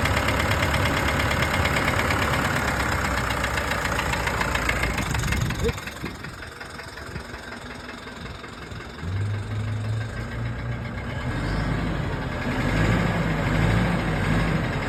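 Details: Mitsubishi Triton 4N15 diesel at idle with rough uneven knock about three per second over low rumble and smoke from the oil dipstick tube; owner suspects piston rings, mainly the turbocharger.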